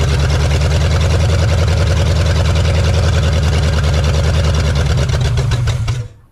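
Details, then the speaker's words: 1969 Pontiac Bonneville 428 wagon, parked since 1981, running with a second battery connected: lumpy, uneven low rumble at about three pulses a second for six seconds, belching heavy smoke, then dies; rough running after long storage. "Well, it's a start. My goodness, that was a lot of smoke."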